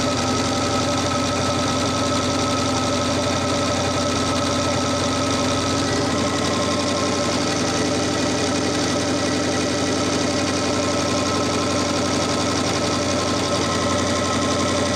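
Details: Audi Quattro race car with 4-turbo LS V8 swap and AWD, first start after an engine-hoist rebuild, warming up: steady even drone, smooth idle, no knocking or ticking; normal idle.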